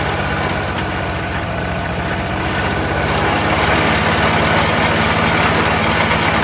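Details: Troy-Bilt 22-inch front-wheel-drive self-propelled mower, 4HP Briggs Quantum, first run after a few pulls. Loud, slightly uneven hunting beat instead of a crisp note, with heavy muffler smoke, possibly dripped oil; owner suspects carburetor needs cleaning.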